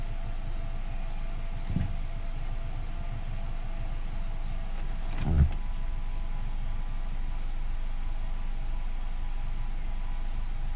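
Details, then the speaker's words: 2014 Nissan Altima 2.5 SL QR25DE after P0014 code repair, oil change and solenoid O-ring check: starts and settles into a steady, even idle with no misses, ticks or hunting, only brief handling clicks; sounds healthy. "All right. Idle looks to be okay."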